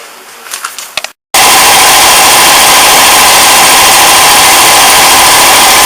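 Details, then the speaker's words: 240V air compressor reaching about 130 lb: the motor cuts out, then the unloader bleeds air from the delivery pipe through a line at the pressure switch with a loud steady hiss for several seconds. Normal operation. "as you heard there when it came up to pressure about 130 lb it turned off and it bled air out of the delivery pipe at the pressure switch"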